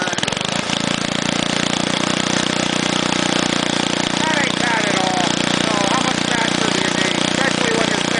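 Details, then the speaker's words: Go-kart's small single-cylinder engine after long sitting: steady beat that stumbles and skips now and then; misfire from a valve that sticks, still not freed after a treatment. "Apparently, no, that valve just likes to stick if they set for a long time, and this thing did a lot of setting."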